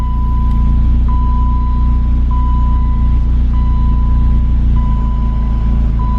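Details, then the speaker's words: 1988 BMW E30 M3 with rebuilt engine and fully rebuilt AC system, run after sitting 6 months: normal smooth, even low idle with a light steady hum as the AC compressor engages with a click, putting slight load on the engine. "One thing I like to do, I rebuilt the AC system on this car, so I'm just going to make sure that the compressor engages. Should hear a click, which I did."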